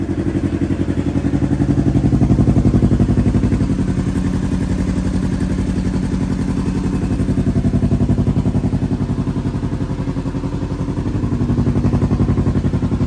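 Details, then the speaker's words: Rebuilt Kawasaki KRX 1000 engine, first test fire after reinstallation, running without a muffler: even, rapid firing pulses at a steady idle with gentle slow swells, no knocks or ticks; runs smoothly. "Okay, we're gonna test fire it. Remember, this doesn't have a muffler on it."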